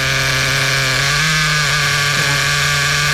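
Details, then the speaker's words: New Kasemo Fotia nitro RC car engine during third break-in tank, unloaded: high, steady buzzing note holding even without surging or dying; much smoother and softer than before; runs consistently. "เนี่ยเครื่องเสียงเริ่มนิ่งนะครับผมนะครับเสียงจะนุ่มกว่าเดิมเยอะเลยนะเนี่ย"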